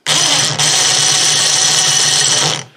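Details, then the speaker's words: Snow blower chute-rotation winch motor, removed and opened for service: high buzzy motor whine with coarse, gritty growl for about two and a half seconds; awful growly crunchy noise from winch gear train, gears look barely worn. "trying to eliminate the noise eh because there's an awful growly crunchy noise coming out of it"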